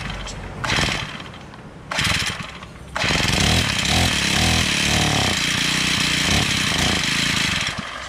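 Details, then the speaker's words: Honda GX35 four-stroke brush cutter with faulty carburetor: couple of pulls fire and die, then runs raggedly with wandering revs, won't hold idle; carburetor blamed, replaced with a two-stroke carburetor. "porque esse carburador e outro detalhe não dá lenta não galera de maneira nenhuma"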